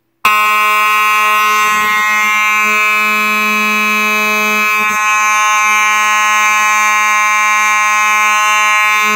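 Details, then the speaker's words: Simplex 4903-9219 mechanical horn strobe, horn and strobe together: very loud, steady buzzing hum at one low pitch with no warble or dropouts; the mechanical horn sounds normal. "that's very loud it's a good thing I had hearing protection on because these things may blow your ears out because these are really loud horn strobes"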